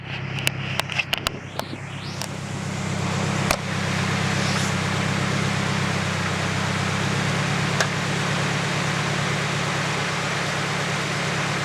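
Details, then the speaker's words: Nissan KA24DE petrol engine idling with a dull, steady knock about four times a second. It is a rod knock caused by oil starvation from an unnoticed high pressure oil leak during summer autocross. "Not that it matters though, because my engine is knocking. So, yeah. That's what it sounds like."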